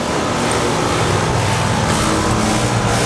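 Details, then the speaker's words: 2007 Tempstar heat pump outdoor unit (Copeland compressor) in cooling mode at about 70s°F: steady even low hum with rushing fan, no knocking, rattling or squeal, just after switching on, blowing warm air out the top; normal start-up. "And this is a 2007 Tempar. And it just turned on. And it just turned on. Blowing hot air out the top."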